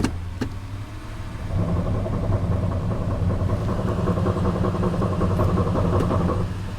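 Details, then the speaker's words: Suzuki Sidekick listed as run-and-drive starts right up with check engine light on; engine idles with a low uneven whirring underneath in gear, driveshaft spinning without driving the wheels; driveshaft found connected, fluid seen pouring underneath, cause unconfirmed. "sounds like the driveshaft is disconnected what it's listed as a running drive but when I put it in gear I could hear the driveshaft spinning something's wrong under here"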